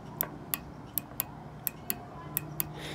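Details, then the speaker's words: Dead GE microwave, known-good spare door interlock switch pressed and released: crisp paired clicks, eight over three seconds, in a quiet room; normal switch, unlike the faulty one that stays pushed in, broken inside. "you can hear it. When I release it, it clicks back out."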